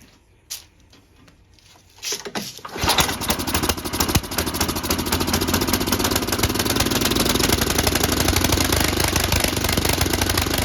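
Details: Tecumseh HM80 engine on an MTD Snowflite 8X26 snowblower, just after carburetor replacement and priming: a couple of pulls, then it catches and settles into a fast, steady, rattly run without stumbling or surging.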